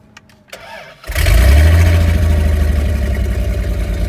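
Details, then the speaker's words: Dodge Dakota regular cab after a used transmission install, just refuelled and jump-started: starter whirs briefly, engine catches cleanly and settles into a steady, even idle with no stumbling; a healthy start. "Now that there's gas, I don't need to hold the clutch anymore, so already a good sign."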